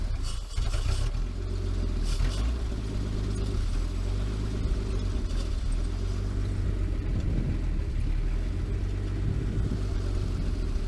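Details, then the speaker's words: 1949 Chrysler Windsor sitting since the 1950s, with automatic choke, running after a wire fix: deep low rumble settling into steady even idle, no knocking or misfire; owner reckons it won't run without the choke. "how amazing is that huh it was one of the wires that went on there"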